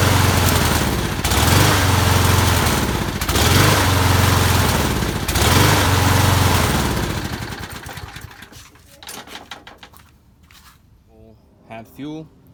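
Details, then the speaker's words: Single-cylinder lawn mower that needs repeated priming to keep running, before any carb work: it surges and hunts for several seconds, then sags and dies. Later traced to fuel starvation from clogged channel holes in the float bowl bottom bolt. "all right so a lawnmower is uh won't stay running i headl turn on and then I have to keep priming it to keep it running so I think there's something wrong with the carb possibly not enough vacuum to pull fuel"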